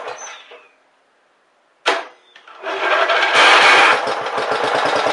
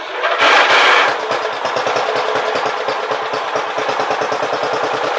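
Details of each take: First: Briggs and Stratton Power Built 12.5 HP flathead Model 28 mower engine, first start after rebuild: few pulls, then single cylinder catches into quick even firing; normal running. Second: Briggs & Stratton Power Built 12.5 HP flathead Model 28 mower engine, first start after rebuild, carb set 1.5 turns out: runs with a quick uneven beat after a loud burst, and quits when given throttle; blamed on an old, non-original carburetor.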